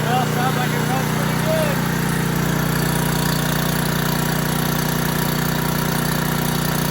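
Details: Old 5500 W gas generator, full of oil, started after repair: steady even engine hum with no misses, surging or knocking; running smoothly and healthy.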